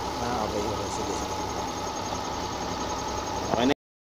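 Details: Suzuki Multicab F6A engine, whose misfire came from oil wetting the spark plugs through a torn cylinder head cover gasket and loose bolts (gasket replaced): small four-cylinder at a steady, even idle with no stumbles or missed beats.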